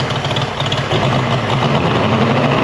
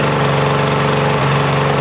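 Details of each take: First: Mercury 50hp three-cylinder two-stroke outboard after full service, new switch box (old failed DVA test at about 230V) and clogged telltale hose cleared: steady even drone rising and falling slightly with throttle, runs great. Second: Mercury 50hp two-stroke outboard during full service, after carb sync and link: flat, uneven lumpy idle as if running on one cylinder; spark lost, bad CDI switch box confirmed by testing.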